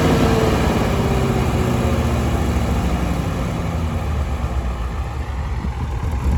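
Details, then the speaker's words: Allis-Chalmers AC 440 tractor diesel, loader in use. Chugs unevenly, loping and sputtering with no black smoke. Owners suspect the fuel pump or injector. "It's got such a sputtery sound to it. >> Yeah, there's something wrong with it. Fuel pump injector."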